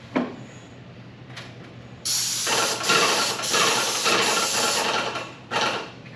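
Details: Paint sprayer with new tip spraying walls: bursts of steady, even hiss start and stop cleanly with each trigger pull; atomizing evenly, nice even coverage.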